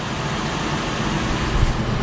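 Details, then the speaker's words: Wheel bearing checked with a stethoscope against the other side: dense rough low grinding rumble, like a corn sheller, audible almost without the stethoscope earpieces; identified as the bad bearing. "pero para poder comprobar voy a ponerlo yo y este se oye como una desgranadora de maíz señores"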